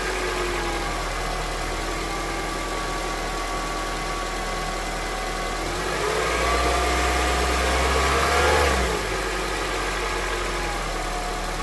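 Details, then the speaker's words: Honda CR-V, 200,000 km, warm engine, first start after changing to thicker 10W-40 oil on the old filter: light regular tapping about 220 per minute over idle, continuing through a blip, unchanged by thicker oil; engine knock, source unclear. "Ну что я могу сказать эксперимент удался и не удался короче на более густом масле ничего не происходит всё тоже самое стучит"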